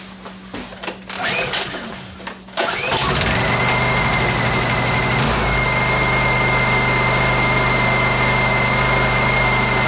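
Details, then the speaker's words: Honda EU2000i generator, which previously surged at low idle, after the carburetor pilot jet and idle screw were removed and reinstalled: after a few pulls it settles into a steady, even low idle with no surging. "our idols nice and smooth"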